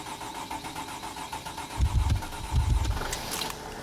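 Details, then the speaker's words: 2008 Freightliner Sprinter 3.0 L diesel after replacing defective crank sensor (code P0335, crank no-start): rhythmic cranking about a second and a half, then fires and settles into a steady, even idle. "so right there as you can see the engine started and the engine is running"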